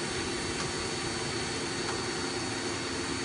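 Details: 2000 Mazak M5N CNC lathe (Mazatrol Fusion 640T, 7.1" bore, three-range headstock, manual 3-jaw chucks): steady even hiss with faint high tone, no knocks or grinding; headstock spindle runs smoothly and sounds good.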